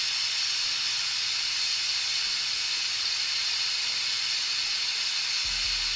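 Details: Autoclave after a tattoo-grip sterilization cycle, at about 26 minutes with power cut: the deflate valve is pulled. A very loud, steady high steam hiss with no pump underneath, which is a normal depressurization.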